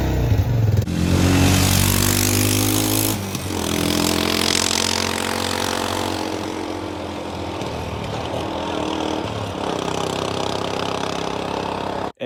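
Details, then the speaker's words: Arctic Cat 400 4x4 ATV single-cylinder at idle after blips: loud, hollow, echoing exhaust bark, small backfires on throttle lift-off; muffler cut open with baffles drilled out, so it no longer quiets the exhaust. "if you listen to this thing running it kind of sounds like a loud echoing exhaust I don't know it doesn't really sound right"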